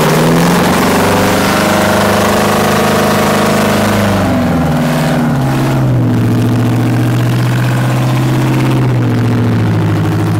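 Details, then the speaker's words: Kenworth T800 semi with 8V71 two-stroke diesel, parked seven years without cranking: loud deep steady bark, sounds like a race car, easing from high idle to a lower even idle; runs strong and clean, normal running. "Listen to that thing. That sounds... Oh, yeah. Wally, that's insane, dude. It sounds like a race car."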